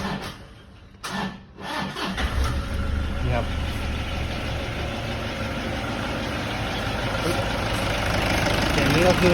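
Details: Toyota Vigo diesel, first start after a timing belt replacement and reassembly. It cranks briefly, then settles into a steady, even idle with no knocks or rattles; it sounds healthy.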